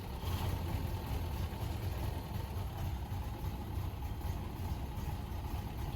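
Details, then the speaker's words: 1930 Ford Model A four-cylinder running for the first time in about seven years: low soft even idle with a steady lope, no knocks or ticks; ran real good, later shut down for a water leak. "but here it is running for the first time in about seven years ran real good"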